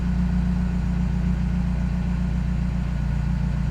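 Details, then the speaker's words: Peugeot 308 GTI first start after replacing the Valvetronic variable valve lift motor; after a brief hiccup and loud start, low even idle hum with no misses, knocks or stumbles; normal smooth idle. "The idle is so smooth now. Had a bit of a hiccup when it first started. It sounded very loud."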